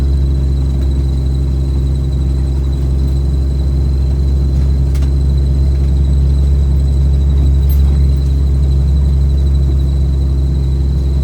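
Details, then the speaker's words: 1990 Jeep YJ driving in snow: thin high squeak over the deep rumble, from the worn front passenger-side axle universal joint, the one that repeatedly fails first. "You hear that squeaking? That's a universal. Front passenger side, again."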